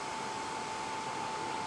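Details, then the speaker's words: RV furnace blower after repair: steady airy whoosh with constant mid-pitched whine and no scraping; motor had seemed seized and popped the fuse because the loose combustion wheel rubbed, fixed by re-centering it with an Allen wrench. "And as you can hear now, it's spinning. You know, the motor is turning."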